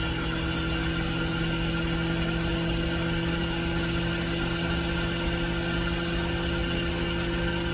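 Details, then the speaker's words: Vevor milk cream separator after reassembly and troubleshooting, spinning up with water running through: smooth, even motor hum with steady tones, no knocks or rubbing. Normal running. "And that is what it's supposed to sound like. I'm going to call that a win."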